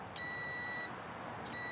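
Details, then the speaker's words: 1978 Volkswagen Bus horn wiring test: meter lead clipped to the steering box through the firewall gives two clear, high, steady beeps as the horn button closes, confirming continuous ground from horn button down to the steering column. "so now we know we have a continuous ground that's actuated from the horn button and and uh and completes the ground down all the way down to the steering column"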